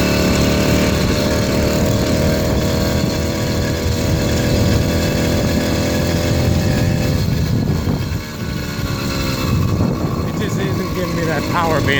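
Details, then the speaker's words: 80cc two-stroke motorized beach cruiser bicycle on a riding sound test buzzes hard under load, then stumbles and dips, never pulling into its power band; owner can't find the cause, later a replacement performance carburetor made it run well. "power band that should. There it goes. Did you hear it happen?"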